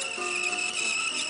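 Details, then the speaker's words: Reel-to-reel tape deck playing Sony PR-150 tape; steady, high, piercing even-pitched squeal as the tape drags across the heads, tape known to squeal though free of sticky shed; low tension noted. "the V meter sounds like the tape's squeaking a bit Sony pr150 what do you expect it's probably one of the worst tapes in the market doesn't do the sticky shed syndrome but it squeals like"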